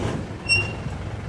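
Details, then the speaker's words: Mitsubishi Montero road test after rear brake pad replacement: brief high-pitched squeal over low road rumble during braking, still from both rear sides. "Aba meron pa siyang ingay. Ito yung first time ko mga boss na makagawa na sabay dito sa likuran ng brake pad niya parehas umingay."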